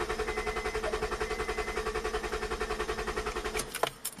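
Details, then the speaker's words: Acura CL engine cranked 5 to 10 seconds with fuses removed and compression gauge threaded in: even starter cranking, every stroke alike; gauge reads about 210; normal cranking compression. "We should get a good reading from that. And you look at it and it looks like my compression is about at 210."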